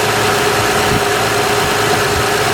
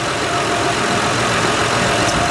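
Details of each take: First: 2006 Honda Odyssey EX-L RES with a newly replaced power steering pump, filled with Honda fluid: a steady mid-pitched whine over an even idle as the new pump moans on trapped air until it primes. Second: 2006 Honda Odyssey EX-L after power steering pump replacement for shaft leak: smooth even idle, steady hum, no whine, groan or knock; pump quiet, no leaks.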